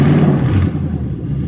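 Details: Lexus LS430 3UZ-FE VVT-i V8 swapped into an IS200 with manual gearbox, just started: short clean rev rise falling back smoothly, no stumble; drive-by-wire throttle responds normally.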